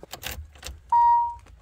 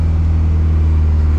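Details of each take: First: Nissan 300ZX (Z32) with a KA24DE swap, first crank via jumper: hard cranking with a steady heavy beat and something knocking; owner suspects the engine or the crank hitting a massaged oil pan, as the crank was not turned after the pan was massaged. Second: KA24DE-swapped Nissan 300ZX Z32 at start-up testing after rewiring: deep, steady low hum with no stumble or misses. The engine idles smoothly and evenly.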